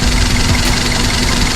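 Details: Daihatsu Sirion with the check engine light on, rough idle: uneven, lumpy beat with an irregular low thump under a steady hum, like a misfire. ECM malfunction suspected, not detected by the scanner; wiring to be checked first.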